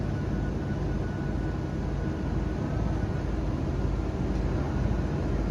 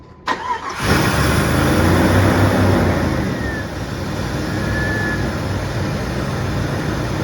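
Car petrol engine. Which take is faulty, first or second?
first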